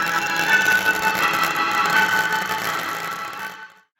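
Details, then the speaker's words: Pioneer KEX-23 car stereo speakers, stored many years in a box, on the bench: music thin and tinny with harsh scratchy edge and almost no bass; foam surround rotted away. "well you can hear how bad and scratchy the sound is currently coming from the speakers so the plan is to make a new suspension ring to support the speaker cones"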